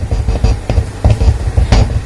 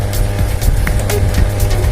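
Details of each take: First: JMK amplifier after replacing tone control power supply capacitors (negative rail had dropped to about 16 V): music with punchy bass and drums plays cleanly, the previous hum completely gone. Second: Modified JMK amplifier, with a previously altered transformer and messy wiring, producing a steady low mains hum.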